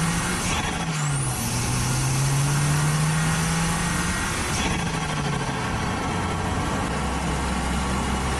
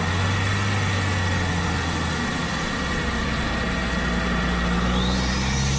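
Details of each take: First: Audi A4 B7 Avant daily driver with stock exhaust, after replacing a split OEM diverter valve (boost leak) with a GFB DV+: strong engine note sweeps up through the revs and drops back on each pull, turbo healthy under load; pulls much harder, all the way through the rev range. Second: Audi A4 B7 Avant turbo, before GFB DV+ install: steady engine drone with a thin high flutter and hiss of escaping air; split OEM diverter valve leaking boost, car felt naturally aspirated with no low-end grunt.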